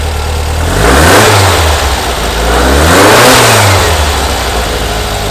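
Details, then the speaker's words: 1970 VW Bus, brand-new air-cooled engine just installed, first run: two clean throttle blips, revs rising and falling smoothly back to steady idle, no misfire or knock, loud; normal revving. "it's just burning it sounds so good we did it you can hardly hear me probably it's loud listen to"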